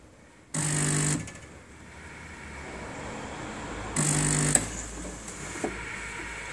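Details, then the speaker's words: Statim 2000 steriliser on the workshop bench with positive pressure building in the cycle: two short crisp buzzing bursts a few seconds apart as the solenoid valve snaps open; normal solenoid valve operation. "you see the sublight valve operating fantastic"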